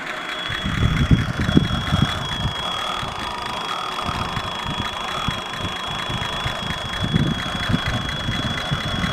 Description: Howell TBI whistle at idle on AMC 304 V8. Vacuum Leak or Normal noise for a Howell? Seems like a vacuum leak whistle to me but I've been told these are noisy, just not sure what the noise should be.